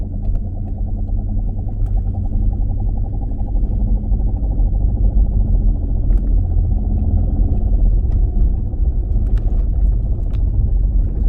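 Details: 2016 Dodge Challenger Scat Pack while cruising: deep constant drone under the car, unlike tyre hiss; worn driveshaft center carrier bearing, repair requires removing exhaust and driveline to replace the bearing.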